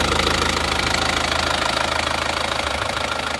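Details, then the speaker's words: Isuzu Panther Touring diesel from Madiun at hot idle after blow-by repair; smoother as it heats, even clatter about 200 beats per minute with no stumbles, blow-by gone. "mobil ini kita coba kita bawa pulang itu kalau semakin panas malah halus"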